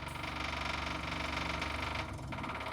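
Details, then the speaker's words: Diesel crew cab work truck, first start after rewiring, glow plugs cycling, new fuel line: fast, even ticking about four per second over a low rumble; old lift pump very loud, likely pushing air before bleeding. "the old fuel pump super loud right now cuz he's likly blowing air we have to bleed this guy"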